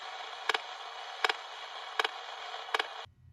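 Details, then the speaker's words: Smart key system checked with an AM radio near the vehicle: crisp double ticks about every three-quarters of a second over static, steady and even; the key search oscillators are working normally. "Second, I'm going to check my oscillators with my AM radio."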